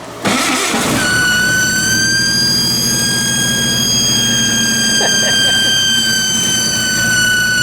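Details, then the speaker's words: Freshly built carbureted turbo engine at first start: the engine catches, then a loud, steady high squeal sits over the running motor without changing; a vacuum leak where no gasket was fitted. "You got to ignore the vacuum leak because we ain't got a gasket for that, but everything else is sweet."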